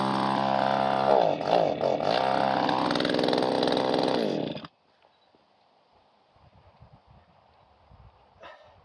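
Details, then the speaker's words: Two-stroke pole saw engine, carburetor needles being adjusted: buzz wavers and surges in pitch about four seconds without holding steady revs, then cuts out, no throttle response; high needle suspected out of adjustment, unconfirmed. "now it runs I definitely got play around that carburetor sounds like it's got to be the high needle right is out of adjustment or something no throttle response to it"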